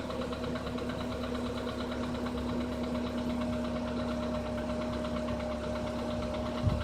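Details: Skoda Rapid 1.6 CFNA engine at startup: light, rhythmic knocking ticks over a steady idle with a constant whine. The knock has grown louder.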